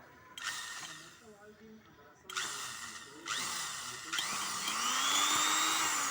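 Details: Sewing machine motor after pedal repair whirs up in short bursts as the pedal is pressed, pitch rising smoothly with speed, no grinding; runs normally.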